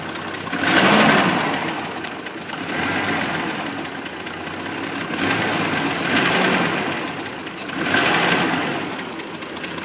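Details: 1989 MJ with the 4.0 engine, acting up: the engine surges and falls back every couple of seconds with a rough, hissy edge; abnormal, uneven running, cause unclear.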